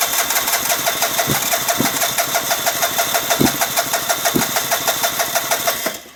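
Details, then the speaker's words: 2009 Vespa LX150 cranks but won't start: starter cranks at an even three beats a second with a few weak coughs when given a little gas, never fires; owner suspects a dirty spark plug again, unconfirmed. "Seems like if I give it a little gas, it'll cough sometimes. Hand in at the same time."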